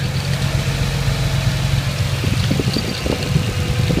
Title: 1992 240sx engine rattling noise